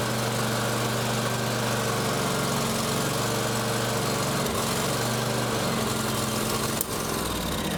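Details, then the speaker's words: John Deere X350 riding mower, sat for years, running on full choke: pitch wavers and stumbles rather than holding steady. Needs choke to keep going and is acting restricted. "Um, well, that's probably oil there, but I had to run it on choke in order to keep it going. So, that tells me it's acting restricted."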